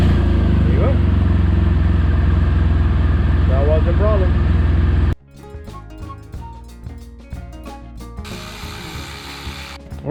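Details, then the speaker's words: BMW R1200 GS boxer twin after battery replacement, before final cover refit: engine catches and settles into a deep, steady, evenly paced beat with no misses; running normally. "okay before we uh put the final cover we're gonna start up make sure runs good okay let's try this time"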